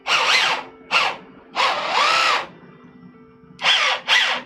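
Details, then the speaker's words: 3D-printed MOG RC truck kit, newly built, on throttle blips: loud high motor whine swooping in pitch. The noisy drivetrain is possibly worsened by the undamped frame vibrating; cause not pinned down. "So there is a bit of noise. It is a bit loud. It is a bit loud."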